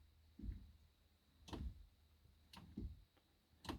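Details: SeaFirst hydraulic steering helm on a Mercury outboard, after filling and bleeding with no air bubbles left: sharp clicks about once a second over a low hum as the wheel is worked, with steering play; helm clicking.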